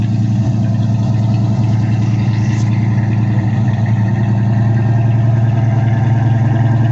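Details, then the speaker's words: 1979 Pontiac Firebird V8 after sitting eight hours, with spark plugs installed three months ago and now cleaned: deep idle with a slightly uneven, stumbling beat; engine misfire at idle, plugs look bad. "you can hear she's got a miss on her"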